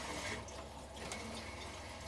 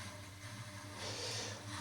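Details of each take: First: Central heating system after zone valve swap, boiler switched on: pump running with soft, steady rushing and trickling water through the pipes; normal circulation, some air still to purge. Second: Heating system after a zone valve swap, Grundfos circulator pump in its 10-minute app-triggered vent mode. Steady pump hum under a rushing, hissy swirl as air is purged from the system.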